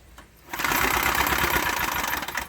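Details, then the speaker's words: Briggs test engine, smoking and previously seized, pull-started with the blade freed by hand: it snaps into a harsh, rattling run for about two seconds, then locks up again. It is internally seized, with a damaged cylinder and head. "still no flying parts oh yeah she's locks all it again"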